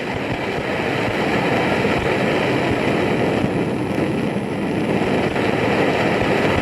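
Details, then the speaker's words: BRS-8 multi-fuel stove, well preheated, bottle flipped opposite to the instructions: steady roar broken by irregular crackles and spits as liquid fuel reaches the burner without fully vaporising. "And even with all that, it was pretty preheated. and we're still getting all of this"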